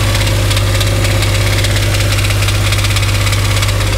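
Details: Dodge Dakota 5.9L 360 Magnum V8 at idle on a lift: a fairly regular deep knock, about 200 per minute. Loudest spots are on the transmission; engine versus transmission is undetermined, so the converter-to-flexplate bolts are being removed next.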